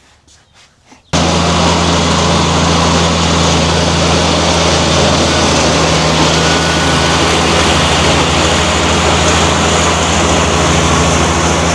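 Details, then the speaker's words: John Deere F925 mower after the electric clutch and rear main seal were replaced and the belts tightened: catches after a second and settles into a loud, steady, even drone with no misses or knocks; healthy. "So I guess the only thing to do now is start it up and see if it leaks any oil and see if the new electric clutch works."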